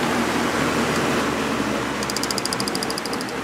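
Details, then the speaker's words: Early-80s Sears box fan with plastic Marco motor, after oiling a seized motor, on high speed drawing 2 amps (rated 2.2 amps): only a smooth rush of air with no motor hum, rattle or scraping; it runs healthy. "wow this thing doesn't make any that motor doesn't make any noise at all usually these have a cool sound that they make pulling 2 amps sounds about right"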